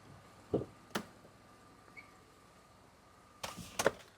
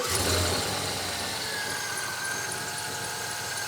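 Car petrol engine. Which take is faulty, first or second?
second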